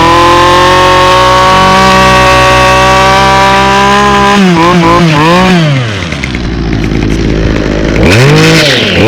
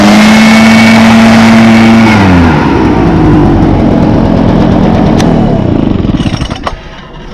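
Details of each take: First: 2011 Toro 25cc two-stroke string trimmer, fogged over winter, starting up: high buzzing revs in uneven surges with a ragged rattly edge at speed caused by a bad trimmer head. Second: 2014 Echo PB500T backpack blower (50.8 cc two-stroke, built August 2014, used the week before), started with choke and primes: high, steady blower whine that drops cleanly off throttle and winds down evenly; runs fine.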